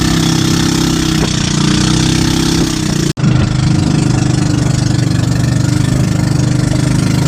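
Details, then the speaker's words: Brand-new outboard engine that had been stalling and hard to start, checked by a mechanic; steady even drone holding speed after a brief dip, no stalling or surging; nothing was wrong with the engine: normal running. "It turned out that the engine wasn't anything wrong."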